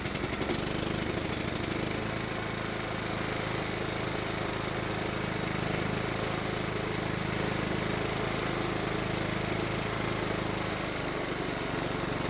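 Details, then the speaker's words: Riding mower engine that previously ran only with the carburetor choked, after the carburetor was refitted: holds a steady, even drone after catching, no surging or hunting, running smoothly off choke. "then we'll start it up and see if we can move the choke lever into the run position and maybe even into the idle position"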